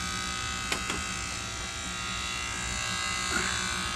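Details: White Rodgers 8A05A-101 furnace transformer/fan relay unit, with the air conditioning running: a constant, steady-pitch electrical buzz with a couple of faint clicks. The relay is buzzing, and the old unit is being replaced after the power is shut off.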